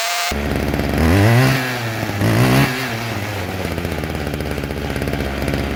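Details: String trimmer after carburetor cleaning, new fuel lines and a new diaphragm: two-stroke buzz revs up twice, then settles into a steady, even idle; normal running after the fix.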